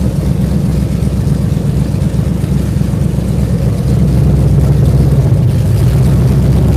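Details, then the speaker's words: V8 fresh off a month on the dyno, ram-horn D-shaped exhaust manifolds, open manifolds with no exhaust system fitted: deep, loud open-pipe rumble pulsing about four times a second, holding steady with a slight rise; normal idle. "if you guys want to hear it it's open exhaust modifiers it's got no exhaust system the exhaust system is on the floor"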